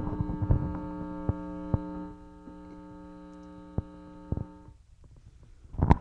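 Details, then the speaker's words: Guitar amp with guitar plugged in: steady low buzzy mains hum that grows louder as the master volume is turned up and drops away as the first gain is turned down, so it starts ahead of the master volume; cause unconfirmed. "I'm pretty sure you can hear that it's pretty damn loud it gets louder as the volume the master volume gets turned"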